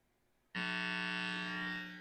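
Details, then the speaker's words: Minsine Tele-style guitar after polish and rewire, plugged in: loud steady buzzing hum with hiss, worse when touching strings, guitar barely audible over static; owner suspects grounding/shielding fault, possibly damaged volume pot or switch from soldering. "right away, you can hear. And if I'm not touching the strings, it's not as bad. If I'm touching the strings, it's worse. You can hardly hear the guitar over the static noise."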